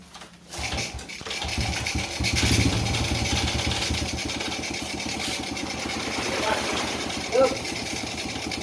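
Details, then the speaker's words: Honda Supra Fit New motorcycle after engine rebuild for heavy smoke and rough, noisy engine: catches after short crank, settles to smooth even idle and picks up cleanly on light throttle; engine noise back to normal. "Jadi setelah diprediksi untuk bunyi mesin ini sudah normal lagi. Nah, teman-teman bisa dengarkan suara mesinnya."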